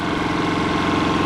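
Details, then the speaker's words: Kipor IG3000/IG3500 inverter generator fitted with a replacement Champion inverter board, running and supplying power to the outlet; steady, even engine hum with smooth unchanging beat, no misses or surging, holding output normally under load. "so there we go we have our generator and making power that's what the light says right when I plug this into the outlet we should have power we have power guys"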